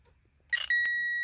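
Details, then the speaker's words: Power Probe 3 testing a vehicle fuse: a short burst, then a steady clean high-pitched tone; 12.6 volts on both sides of the fuse, so the fuse is good. "and that one says 12.6 volts. That means that there is the voltage going through the fuse, because remember, a fuse has power on one side. So that means that the fuse is good, and it has the same."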